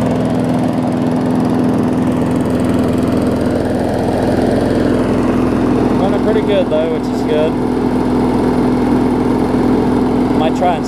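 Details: 2012 Bolens push mower with Briggs & Stratton 500 series engine, after stretching the governor spring because it ran slow: even, steady drone with no surging or hunting, smooth running; normal running.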